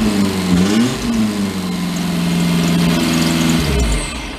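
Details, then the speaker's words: 2008 Mag XT Chinese work truck after swapping plug wires, with all four hooked up: revs rise and fall smoothly with no misses, running on all four cylinders. "sounds like it's got it huh excellent"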